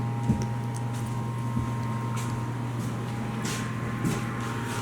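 A steady low hum sits under some knocks from someone moving about; the pump started up and runs evenly after power came back.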